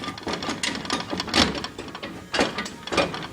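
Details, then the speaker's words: 1983 Ford Bronco, daily driven, with front-end noise: hollow clunks and knocks as the raised front wheel is rocked by hand, from a loose, badly worn wheel bearing; complete hub assembly was replaced. "that look like aad a bad wheel bearing to you or something that's pretty [ __ ] bad"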